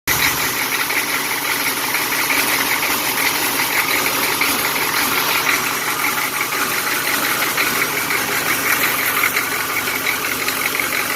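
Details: GM 6.2L diesel, sat unused for over 10 years, idling: steady idle with a loose, uneven clatter about two knocks a second; weak or stuck injectors failing to reach pop-off pressure advanced the injection timing, causing the knock.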